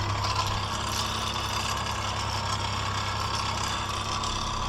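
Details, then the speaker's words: 1978 Ford A64 wheel loader just bought, in cab: steady, even low rumble at idle with constant drone and no knocks or rattles; engine idling healthy with oil pressure shown. "Engine sounds good."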